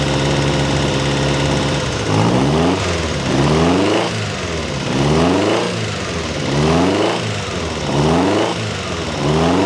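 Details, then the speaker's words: Ferrari 308 GTS fully rebuilt V8 after first start in about four years, warming the heads to heat the head gaskets: fast warm-up idle with regular throttle blips rising and falling cleanly. Normal warm-up idle. "all right let's just warm the heads up a little bit just to get some heat into the head gaskets"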